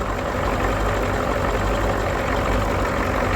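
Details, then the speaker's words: Ford 6.9/7.3 IDI diesel at about 10°F after running out of fuel: heavy idle with a hard clattery knock over low rumble as air is still bled from the fuel system at the Schrader valve. "But you want to crank on that thing until it's pushing fuel out of that Schrader valve, not just air. Actually getting a bit of fuel, so should be all right. You hear it knocking."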